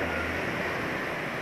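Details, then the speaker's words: Warm idle after running a while, engine on Mesran SI40 oil with added two-stroke oil and cooking oil: soft, steady, even hum with quiet ticking and radiator fan off; rough only at cold start, now very quiet and healthy. "Jadi sekarang nggak begitu kasar lagi kalau start. Kalau sudah di dling agak lama, wah senyap banget."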